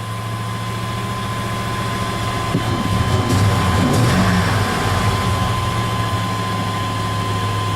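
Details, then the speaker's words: Dually truck, air filter removed: steady fast idle with loud intake suction drone that won't drop back to 600 RPM; a vacuum leak is suspected, unconfirmed; idle stuck high. "she won't come back down to 6 5 600 RPM and if I shut it off and hit it right away I got to hold it to the floor"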